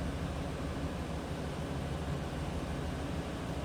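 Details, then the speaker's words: 2000 Chevrolet Silverado 2500HD extended cab 4x4, V8, 74,339 miles, no check-engine light, no modifications noticed: steady, even low idle rumble with no knocks, ticks or misses; sounds stock. "Sounds stock, what you'd expect."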